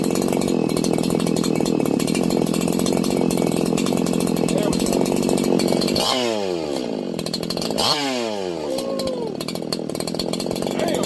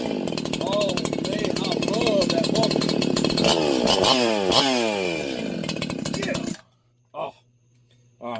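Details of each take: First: Freshly ported 4910/501p chainsaw after richening the low jet over two turns out: a steady high-revving two-stroke scream with two quick throttle drops that pick back up cleanly, running healthy and crisp. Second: Freshly ported 501p / 4910 chainsaw on first run; screams at high revs with thin, buzzy pitch that hunts and sags before cutting off, running lean and needing more fuel.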